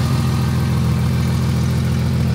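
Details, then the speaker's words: Ford EF wagon, 277,000 km, running on gas (LPG). Deep steady idle rumble with a fast faint puffing tick; runs clean apart from an exhaust leak. "run super clean though got a bit of an exhaust leak it is on gas which kind of sucks"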